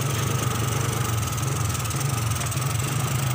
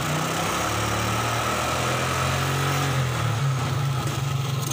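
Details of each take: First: 2003 Suzuki Smash 110, hard to start, misfires when revved: dry, uneven popping beat over idle; multimeter shows very low charging output, so weak 12 V supply to the CDI causes ignition misfire. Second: 2003 Suzuki Smash 110 after repair, battery refitted, multimeter on DC volts: brief unsteady patch settles to even steady idle; charging voltage now up (about 13 V expected), no more misfire.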